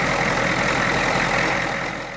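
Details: 1991 Ford F250 IDI diesel with fresh air filter, high idle set, previously prone to stalling: steady even diesel clatter with no stumble or dip as it settles; idles smoothly without stalling.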